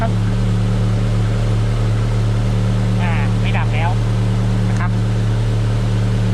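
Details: Car idling after the faulty alternator was replaced: steady, even low hum with no knocks or squeal, running normally.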